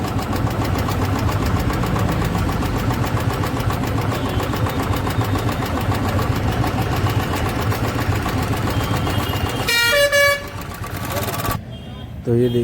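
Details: Royal Enfield Bullet Electra 350 UCE, 2017, idling: fast, loud light ticking over the single-cylinder thump. Hydraulic tappet noise; the mechanic suspects an oil supply problem and checks the oil filter.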